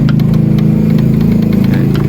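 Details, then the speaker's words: Singer Prelude portable sewing machine, run on 220 V: fast, even clatter with a rattly edge on every stroke, very noisy; the noise is suspected to be a lack of oil, with shuttle adjustment as the alternative. "pero malamang to makuha to sa oil kasi so sobrang ingay eh"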